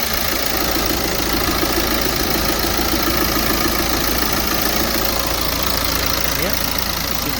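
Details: 2016 BMW 420d, B47 diesel, first start after fitting a swirl flap delete kit and reconnecting everything, with no dash warning lights: even idle clatter ticking about three times a second with no stumble or misfire; normal diesel idle.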